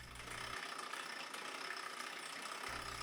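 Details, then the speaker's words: Single-speed bike with ZTTO ZLG-01 chain tensioner and aluminum pulley: steady, gritty whirring rattle as the pulley engages the chain, persisting despite adjustment and alignment; riding unaffected. "The pulley is making the noise when it engages with the chain The noise is obvious but it doesn't affect the riding of the bike"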